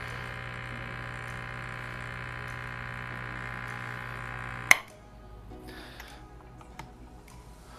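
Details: Elektra Microcasa Semiautomatica espresso machine with cold cups: an even buzzing pump hum runs steadily for about five seconds, then cuts off cleanly. The flow was still slightly fast but crema was produced, so this is a normal pull with the pump working properly.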